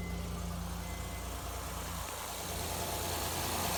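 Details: 2011 Honda Accord 3.5L, which had a loud knocking noise fixed by replacing the timing belt tensioner: smooth, even idle with a steady low hum and no tapping or knocking, then a gentle rise in engine noise. Normal idle.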